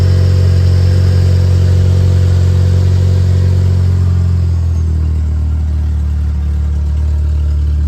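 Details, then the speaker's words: 1991 Ford Ranger 2.3L four-cylinder after replacing fuel injectors and fuel pressure regulator (spark plugs, likely fouled, not yet changed): starts and settles to a smooth, even idle with no misses or stumbles; runs much better than before. "But yeah, way better. Truck runs good. Now I'll go and start it up. There we go. Oh yeah, baby."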